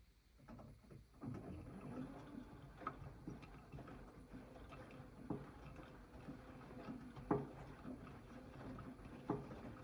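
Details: AEG 8000 washing machine: sharp knocks about every second or two as the drum turns slowly, mostly counter-clockwise, gone at higher spin rpm; not the detergent cup, cause unknown.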